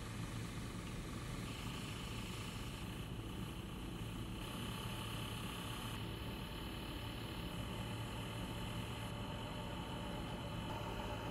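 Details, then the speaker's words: Asus ROG Strix 1000W Platinum PSU fan, double ball bearing, at various speeds: steady fan rush with low hum and faint rough bearing whir changing with speed. "Here are some sample audio clips from the fan’s noise at various speeds for you to see (hear) the bearing noise I'm talking about."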